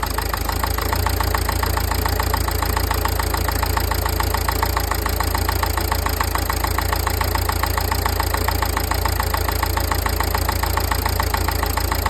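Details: Nissan Qashqai 1.5 dCi diesel idling with a steady clatter, about two ticks per second, over a low rumble; owner suspects the injectors or the turbo, cause not confirmed.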